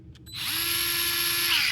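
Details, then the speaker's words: Dewalt 8V gyroscopic electric screwdriver run forward on settings three, four, one and six: each time the motor spins up to a steady whine, then winds down. Setting one is much slower and six much faster, so the dial changes speed, not torque. "so that's three going three to four going forward here's [Music] one much slower I'll get six out much faster again"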